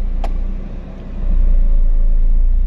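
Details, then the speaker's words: 2006 Honda Jazz CVT, which dropped rpm and clicked when shifted into R or D, after a CVT reset and start-clutch calibration, AC on: low steady idle as reverse engages, brief dip then settled hum, no clicking; normal reverse engagement. "R juga lebih stabil dan untuk sementara waktu ini bunyi tidak muncul ya belum muncul ya"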